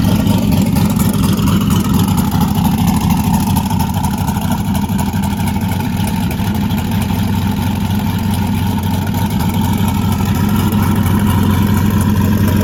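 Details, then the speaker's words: LS1 one-tonner just fitted with an upgraded Aeroflow 78/75 Gen 2 turbo in place of a VS Racing 7875 (0.96 T4 open rear housing): deep, loud, steady rumble with even firing, normal smooth idle, a bit noisy. "It is a bit noisy. Let's start it up. You can give it a bit of a listen."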